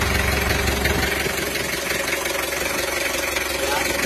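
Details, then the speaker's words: Mitsubishi L300 diesel after engine rebuild (new liners, pistons, rings, bearings, crank machined, gasket set), running in, not yet tuned; fairly steady idle with soft irregular bek-bek popping, suspected air filter or exhaust. "Ini masih kedengaran suara bek-beknya, kalau nggak filter udara ya knalpot."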